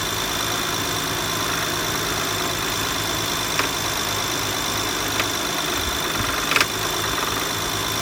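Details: BMW E92 335i engine idling: light metallic rattle, clanking and sharp ticks, solved as a rattling power steering pulley though no visible movement.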